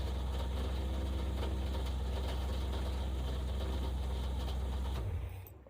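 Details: 1964 Plymouth wagon 440 V8 idling: deep, steady, even rumble with no knocks or misses, then switched off; healthy idle with 50 psi oil pressure.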